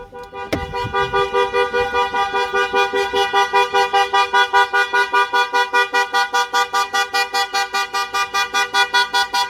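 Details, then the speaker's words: Range Rover Sport fitted with a StarLine Halo Plus immobiliser: a start attempt with a gear selected trips it. Loud, even horn-like toots at about 2.5 per second continue until a code is entered to disarm it. "And if you notice then, my colleague just inserted the code and disarmed it as quickly as possible. Obviously we didn't want to upset the neighbours."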